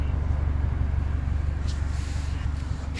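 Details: 1998 Honda Accord idling with a delete, deep, even, quiet low burble with a steady pulse and no knocks or misses; a smooth, healthy idle.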